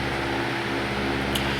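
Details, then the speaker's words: Restored 1930 Westinghouse antique electric fan, fully re-greased, running on its high setting: an even motor hum with a smooth, steady airflow rush and no ticks or scraping; the fan runs cleanly. "But this is low, medium, and high."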